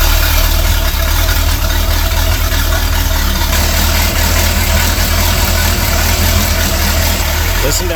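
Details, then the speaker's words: Sea Ray boat, MerCruiser Chevy 350 5.7 L 260 hp V8 idling with a deep, steady, quiet rumble, no knocks or ticks, after checking a power steering leak; the power steering cooler was found not leaking. Normal idle. "the other good news is we get to fire up this 350 with 260 horses of Fury and listen to it sing"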